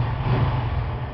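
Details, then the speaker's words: Honda Biz 125 engine after repair: three worn drive pins welded to remove play that caused a tapping noise when accelerating from cold; now a smooth, even single-cylinder note with a low drone and no rattle or tapping. "Feliz da vida aí, bem calado no motor."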